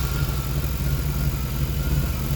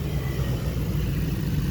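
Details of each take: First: Truck with throttle-body injection, running after a debris-clogged fuel tank was dropped, hot-tanked and cleaned and lines and pre-filter cleared; steady low, slightly loping idle with no knocks, idle speed dropping lower than it should. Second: Truck with TBI fuel injection after cleaning clogged fuel tank, lines and pre-filter: steady even low rumble while revving, idle drops back cleanly, no stumbling; runs normally.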